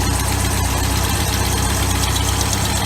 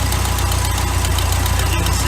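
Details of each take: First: 1981 Sea Sprite boat, OMC 140 hp inboard, at idle before timing adjustment, checked with timing light on front number 1 plug: steady low idle with an uneven, slightly lumpy beat; ragged because ignition timing is too far advanced. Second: 1981 Sea Sprite boat, OMC 140 hp inboard, after retarding ignition timing by rotating the distributor (mark now at 8 degrees): low, steady, evenly spaced idle pulses with no misses; idling smoothly.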